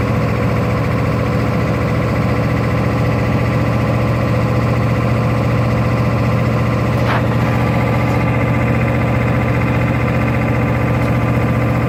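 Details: 1996 Ford F350 7.3L diesel pickup idling rough with a heavy, uneven clatter and shaky, irregular beat instead of a smooth run.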